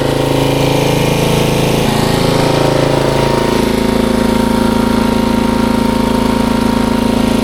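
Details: 1994 Troy-Bilt 34044 33-inch mulching walk-behind mower with Briggs & Stratton engine: a steady, fast clatter of about two or three hits a second because the twin blades are out of time, likely after a blade change, and knock together.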